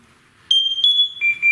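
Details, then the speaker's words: Firefighter SCBA air pack being switched on; shrill electronic beeps stepping up in pitch, then two pulsed lower tones, the normal power-on self-check of the computer that tracks remaining air. "And what that sound is a little computer in here that will tell us how much air, how much time we can breathe."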